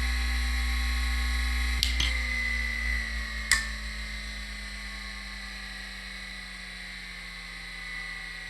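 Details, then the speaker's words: Seagate 1GB SCSI hard drive on an Adaptec AHA-1542CF, device ID 1 with a 16-second delayed spin-up: a steady whine settles as the platters reach speed, with a few crisp head clicks; normal spin-up, drive appears to work. "Wow, I think this drive may actually work."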